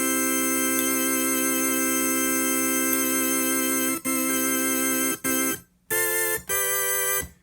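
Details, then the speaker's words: 1960s Vox Jaguar organ with vibrato on after replacing six electrolytic capacitors: chords ring clean with an even gentle waver, no crackle; sounds good. "sounds good except there's one issue down here in the base cords work fine"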